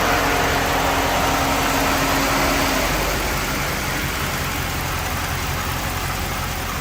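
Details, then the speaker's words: Dodge Magnum SRT8 with swapped-in 6.1L Hemi V8 (old engine blew at about 280,000 miles), idling after the swap with the vacuum line reconnected; intake not yet installed, causing slight surging; even quick patter, smooth as a sewing machine; normal idle. "I still got to put the intake on that's why it's surging a little bit but now it sounds like a sewing machine with that vacuum line on"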